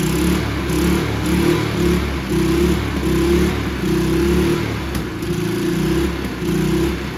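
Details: Free, abused Toro 20333 Recycler push mower, Briggs and Stratton engine, after quick carb bowl clean removing water and debris: runs steadily on its own, slight rise and fall in pace, no misses; running fine.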